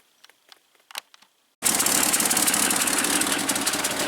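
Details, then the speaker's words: 1971 International Scout 800 with an AMC 232 and an unexplained solenoid noise: a few clicks, then it suddenly catches at a fast, uneven idle. Intermittent running; the voltage regulator is suspected after its cover was removed. "I haven't done anything different. Now it's running. The only thing I did was take that cover off."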